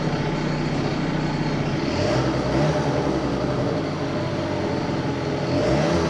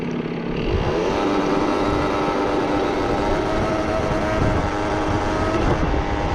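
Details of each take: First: Two-stroke research scooter idling again after cylinder head work (compression ratio measured); steady buzzy putter holding an even idle with slight waver, no stalling, normal idle, though intermittent cutting out persists elsewhere. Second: Two-stroke research scooter whose cutting out persisted even after reducing the carburettor jet from 60 to 54; rough, uneven, stumbling idle that cuts out dead after about eight seconds; ignition misfire later traced to the CDI.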